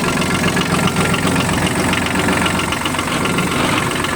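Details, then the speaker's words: Kubota KH-8 mini excavator diesel at about 1954 engine hours: starts easily, steady idle with an even patter about four beats a second, no knocks or misses; engine runs smoothly. "никаких вопросов о работе двигателя не возникает"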